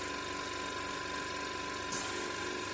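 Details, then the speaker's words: Oxygen concentrator discarded by hospital, casing removed: steady compressor hum with fixed tones, then airy hiss near two seconds as sieve valves switch; normal cycling, though compressor noted as very shaky. "And you can see the compressor is running. And you can slightly hear the valves here changing."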